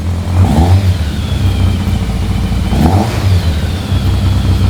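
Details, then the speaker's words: Yamaha FZR 1000 (2LA) running for the first time in 3 months after a no-spark check: steady idle, then two quick throttle blips rising and falling cleanly; runs and revs normally. "Oh my god! We have the Yamaha FZR running! The first time in 3 months!"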